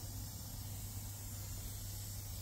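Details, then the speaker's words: Truck broken down with an air leak: faint continuous hiss of compressed air over a low steady hum near the rear axle. Owner suspects a pipe. "I walk past I could hear the air leak around the rear axle"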